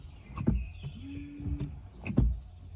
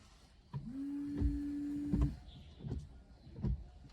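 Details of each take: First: SUV wiper blade about a year and a half old: brief rubbery squeal near the top of each sweep with a thump at reversal; worn blade noise, gone after fitting a new silent-type blade. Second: Wiper after replacing the blade with a silent-type segmented frameless blade; motor hums through each sweep with soft end thumps, no chatter or squeal; the earlier noise is gone.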